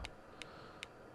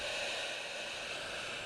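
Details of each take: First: Harvard 410T CB handheld with reverse polarity damage, after LM386N audio IC replaced: receiving but no audio, only faint sharp pops every 0.4 s over hiss; 12 V where it shouldn't be, failed demodulator chip upsetting the audio amplifier. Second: Harvard 410T CB handheld repaired after reverse polarity damage (audio IC, smoothing capacitor, 3357 replaced; PLL survived): steady even hiss, no crackle, dropouts or squeal; receiving normally on frequency.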